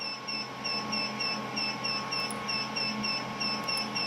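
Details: Smart switched power distribution unit demo box, heat source and fans driving current past the overload threshold: rapid, steady high-pitched chirps, about three a second, over faint fan hum; critical overload alarm.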